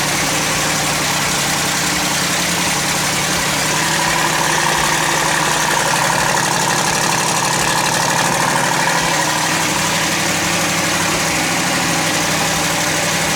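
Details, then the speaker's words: Twin-turbo LS V8 Fox-body Mustang (about 1200 hp) on Holley EFI after water pump refit and coolant bleed, throttle body opened slightly for airflow: lumpy but steady idle with no knocking, grinding or squeal; healthy. "maybe it's just lacking pretty much air flow hell yeah that sounds good"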